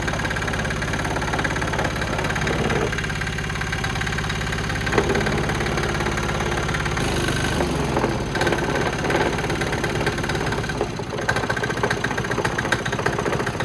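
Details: New Chinese 196cc single-cylinder four-stroke diesel, 22:1 compression, rated 3000 rpm, after bleeding fuel and kick starting: chugs at an even idle with a steady, rattly clatter, typical of a healthy small diesel.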